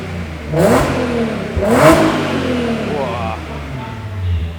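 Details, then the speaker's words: Audi S4 after X-pipe resonator delete exhaust modification, stationary throttle blips: low, rounded deep exhaust note instead of the previous thin, high-pitched rasp. "that sounds a lot better A lot better than what it did so before it were really tiny really high pitch that's put a nice deep tone to it now actually sounds spat on"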